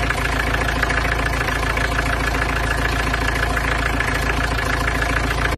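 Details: Peugeot 505 GLD XD3 diesel, first start after cylinder head gasket replacement with new combustion chamber inserts: steady, even diesel clatter at about three to four beats a second, with no misses or extra knocks; a smooth, healthy idle.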